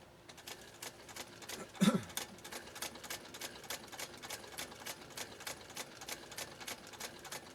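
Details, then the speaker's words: 1922 Singer 99K hand-crank sewing machine stitching single-layer three-to-four-ounce full-grain leather at about 10-12 stitches per inch: even, quick ticking, no knocks or binding; normal healthy running. "not bad speed huh i mean i'm not racing to the finish or anything"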